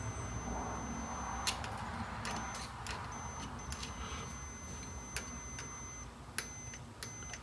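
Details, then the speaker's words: 1926 Oakland ignition points, uncleaned after about 75 years, tested with a continuity tester while opened and closed by hand: a high beep cuts in and out irregularly; points making and breaking contact properly. "so as i'm opening and closing the points it's making and breaking contact so the points are working and that's really bizarre"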